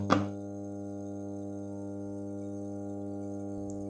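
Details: Bluetooth speaker emitting steady low buzzing hum with even overtones, unchanging level between two handling thumps; unwanted output hum.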